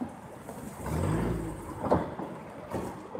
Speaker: Can you guys hear the banging?